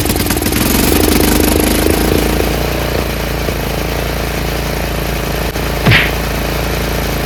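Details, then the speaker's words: Troy-Bilt 30-inch rear engine rider after carb rebuild fixing a clogged main jet: single-cylinder thumps evenly on its own, no stumbling, idle a touch slow; owner will tighten the spring to raise RPM. "I'm going to tighten this spring a little because the RPMs could be a little bit higher."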